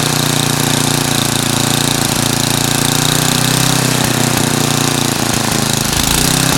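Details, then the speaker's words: Craftsman 9 hp snow blower with Tecumseh single-cylinder engine idling; rapid chug with pitch drifting up and down as the governor hunts; owner plans to replace and tighten the governor speed-control spring to stop the surging. "so that back and forth movement is where it's surging or oscillating porpoising whatever term you want to use"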